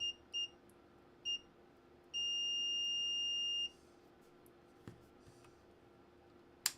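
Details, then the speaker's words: Mullard 1001 (Philips 122) valve radio, continuity test of the power switch in the off position: short meter chirps, then a steady tone of about 1.5 seconds, so it still conducts; faulty power switch suspected, to be replaced. "Yeah, nothing on the power side of it. Yeah, that sounds all right. Yeah, pretty sure it's the power switch in the first instance."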